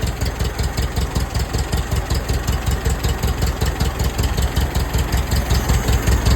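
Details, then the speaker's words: Old tractor running smoothly with a steady, even low chug and no knocks: runs great. Afterwards it would not restart; the owner thinks the starter probably needs rebuilding, as it only cranks fast enough on 12 volts. "Runs great. I'm impressed."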